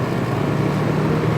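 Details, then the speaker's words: Used 2007 Trane XB13 5-ton central air conditioner with a scroll compressor, recently installed; steady low hum with an even whir as the compressor and fan start, no knocking, rattling or grinding; normal startup. "It's a good thing I caught this one starting up. Yep, yeah, it sounds like a stroll."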